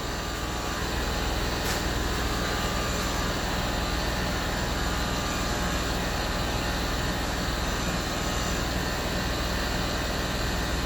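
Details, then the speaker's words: Land Rover Discovery 3 replacement air suspension compressor, the original bent by damage, tested on the floor: small compressor with a steady even electric hum, slow but filling the roughly 25-litre tank and lifting the front end; normal running. "oh you can hear the pump going it's slow but it is going up"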